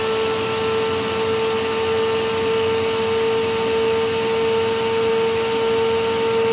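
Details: Rainbow PN-2 power nozzle (with D4C SE canister) after repacking about 7-year-old dry brushroll bearings, motor bearings already replaced: steady even hum at one clear mid pitch, no squeal or screech; normal brushroll running.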